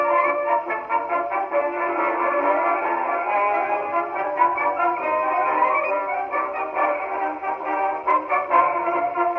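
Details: 1919 Victor Victrola VV-IV #437504 after overhaul (new governor assembly, main spring, spring drum, felt; rebuilt Exhibition reproducer): brass band plays with narrow midrange horn tone at steady speed, no wavering pitch or heavy hiss; clean playback.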